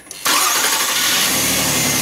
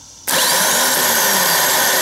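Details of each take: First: 4th-generation Nissan Maxima after starter replacement; the old starter gave a slow, unusual crank. Now a quick crank that catches almost at once and settles into a smooth, steady idle, so the new starter sounds healthy. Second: Worn starter motor from a 4th-generation Nissan Maxima, bench-run unloaded, spins with a harsh, rough, gritty whir and grinds as it winds down; it gave a slow, weak, unusual crank despite a fully charged battery.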